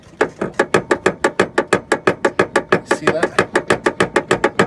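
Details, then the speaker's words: 1991 Toyota MR2 steering rack with a gap at its mount: sharp, evenly spaced clunks about three a second as the wheel is rocked by hand, the rack shifting in its loose mount; steering rack mount play, rack to be removed and replaced. "that noise I don't know how bad that is to drive on that but that's the situation we're looking at"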